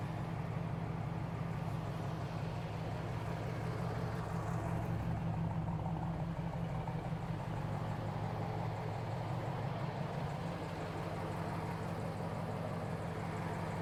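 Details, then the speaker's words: 1970 Chevrolet Camaro Z28, numbers-matching LT1 V8, 4-speed manual, 12-bolt rear, 95,840 miles, off the road since 1980; deep, steady V8 burble at idle, even with no knocks or misses. Runs and drives, steering bushing needs work. Normal idle. "Like I said, there's something in the steering wheel bushing needs to be done, but I hope how good this car sounds is coming through."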